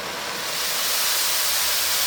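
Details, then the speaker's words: Oxy-acetylene cutting torch with oxygen turned up past the neutral flame: loud, harsh, steady hiss with a sharp roar; oxidizing flame with too much oxygen, close to blowing itself out. "That is a neutral flame. That's what we want. Now this would be an oxidizing flame, too much oxygen."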